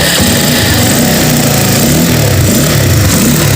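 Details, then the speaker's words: Honda CBR motorcycle after carburettor replacement, coil wired directly without the burnt stator line, fan wired straight to the ignition switch bypassing the thermostat: starts right away, engine sound smooth with even beat, no knocks or misses; normal running. "langsung oke menyala dengan baik suara mesinnya halus tanpa"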